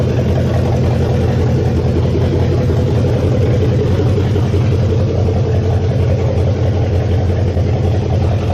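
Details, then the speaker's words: 1969 Mustang V8, first start after engine work with electric choke not yet hooked up: steady deep burble at idle, even firing, no smoke, plenty of compression, oil burning off the top of the motor. Normal idle. "oh man this thing still there's a lot of oil on top of the motor that's burning off right now but dang this thing does not smoke can tell has plenty of compression holy crap I think she's uh I think she's a runner"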